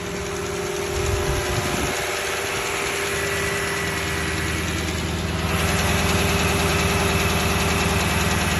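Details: Toyota 1UR-FE V8 idling with a sharp, regular knock of roughly 200 beats a minute; the knock gets more distinct as the oil thins and oil pressure is said to drop at 1/4. Definite internal knock, origin unknown.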